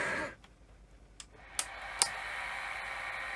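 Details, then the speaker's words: Sony SL-C9 Betamax powering up after being jammed: a few sharp relay clicks, then a thin steady hiss-like whir rises and holds as the head drum spins up. The drum runs rough, with badly worn bearings that may need changing; the coils may be bad. "in it and the heads don't sound terribly good in fact this was actually um jammed but you can hear just how bad those bearings are so I may well be changing that"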